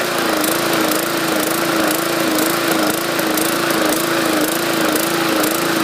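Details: 2014 MTD 20-inch push mower, 300E engine, main jet drilled out to 0.6 mm; at speed the note rises and falls about once a second, hunting surge; owner suspects excess fuel from the enlarged jet, raising RPM didn't help.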